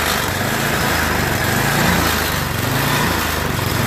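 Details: MTD Yard Machines 8HP snow blower overfilled with oil that flooded the carburetor, crankcase and combustion chamber; electric-started engine runs unevenly, speed wandering about once a second with a rough beat; surging from an oil-clogged carburetor bowl.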